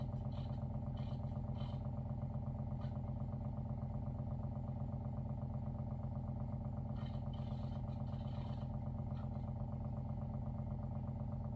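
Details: WaterFirst Dr.Water Y countertop 5-stage reverse osmosis purifier, brand new, first setup, filtering cycle with bubbles before auto flush: steady low hum with even gentle pulse about three per second; pump running smoothly, normal.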